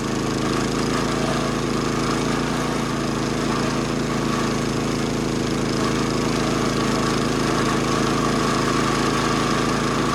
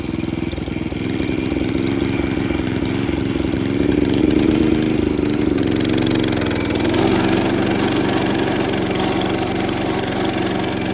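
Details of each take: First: 70-year-old National reel mower with Clinton single-cylinder engine, after new flywheel, points, tank flush and carb clean, mowing grass under load: steady, even buzz, no misfires, knocking or flywheel-cover noises; running smoothly. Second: Roughly 70-year-old National reel mower with a Clinton engine, mowing under load: strains and lugs with an uneven, lumpy beat and a knock. Labouring, caused by a loose, cracked flywheel wobbling on its key.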